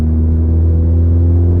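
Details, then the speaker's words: Ford Focus ST accelerating uphill at about 12–15% throttle, around 2500–2600 rpm, heard in the cabin: deep steady low hum, a nasty exhaust drone. "yeah that's that nasty drone right there like a 25 2600"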